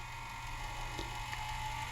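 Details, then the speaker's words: Culligan Gold Series 9 water softener showing error 1H, forced regeneration, mic close to valve: steady gear-motor whir with faint ratcheting ticks at the 3 and 9 positions; control valve drive motor straining, to be lubricated with non-lithium grease. "and you can hear that it's still straining listen to it I'll get the mic closer to it there and again there so at the three and N position"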